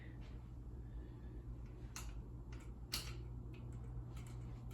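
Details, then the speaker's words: Ceiling fan in a hotel room, possibly Hampton Bay and 48–52 inch, at speed two (medium high): soft hum with scattered sharp ticks and crackles every second or so; the blades are not tight. "You can hear the blades crackling and stuff cuz they're not tight."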